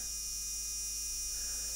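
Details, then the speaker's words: Arduino Mega battery tester/charger circuit with the supply voltage being wound up from zero. A constant harsh electrical buzz comes from the relay chattering even though its drive wire is not connected. The fault is still to be investigated. "and whine the voltage up oh that doesn't sound good [Music] that is the resistor the relay going crackers and"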